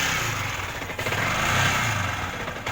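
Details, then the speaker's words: Yamaha R15 motorcycle idle surging up and down with no throttle input; fault found to be a failing regulator rectifier, replaced with a new one. "Lihat, mesinnya bergetar karena kita menggunakan mesin yang lama. Ini sedang melonjak, teman-teman. Jadi, bahkan tanpa memainkan pedal gas pun, mobilnya sudah bermasalah."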